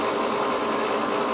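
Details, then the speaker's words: Goodman gas furnace exhaust (draft inducer) blower running: steady, gritty whirring rattle with a rough hiss and no clean tone from the failing motor, which is then replaced with a new blower assembly. "you hear that exhaust fan motor gonna be replaced i got another one was back here a couple of months ago"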